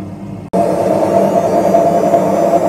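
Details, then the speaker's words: Washing machine with a worn drum bearing: quiet at normal wash rotation, then a loud, steady, rough humming roar as the drum speeds up into spin. "Şu an normal dönme modunda bakın Ses duyulmuyor ama makine hızlandıkça Sesini duymaya başlıyoruz"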